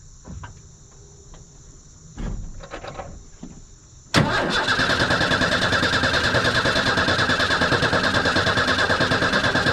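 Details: Old Ford F150 being troubleshot, fuel pressure confirmed on a gauge but bleeding off through a small leak: quiet shuffling, then the engine cranks, catches abruptly and settles into a steady, even run; the engine cranks and starts.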